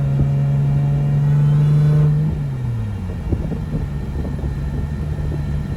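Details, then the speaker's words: Big-turbo RB25NEO on its first drive after engine reinstall, boost about 18-19 psi, tune still being adjusted: strong steady pull, revs fall cleanly off throttle, nothing out of place; motor healthy with good oil pressure, transmission bad. "all right good news is the motor is healthy making good oil pressure sounds good nothing sounds out of place"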